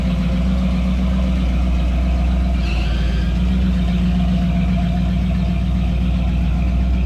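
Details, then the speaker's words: 1989 Jeep Wrangler YJ with newly installed ACES EFI, after idle air linkage adjustment, still warming to operating temperature; steady, smooth idle around 960 rpm with no knocks or misses, running cleanly. "it's idling at about 9960 um it's still getting up to operating temperature"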